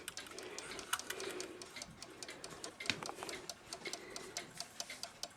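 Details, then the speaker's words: Hummel cuckoo clock, weight-driven, weights on before servicing: steady evenly spaced crisp ticks with no skips, running healthily. "So, I have not tripped this at all. I put the weights on. You can hear it ticking."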